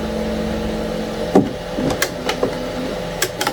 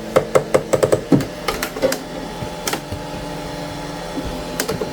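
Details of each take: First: Anycubic ACE Pro, second slot retracting red filament: light motor whir with only a few soft clicks and no grinding; gears mesh cleanly, unlike the first slot, whose gear does not connect well and grinds. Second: Anycubic ACE Pro filament feeder, first slot, retracting: sharp clicking bursts two or three a second, gears grinding and jumping instead of feeding smoothly; red slot runs smooth with no clicking; cause not found.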